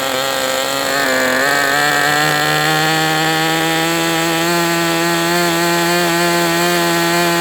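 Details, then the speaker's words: MDS 68 FS Pro glow engine on a break-in run after changing to an OS No. 8 glow plug: high steady buzz holding an even idle, rich on the low end. "Rich on the low end for sure. Hey, at least it's holding an idle."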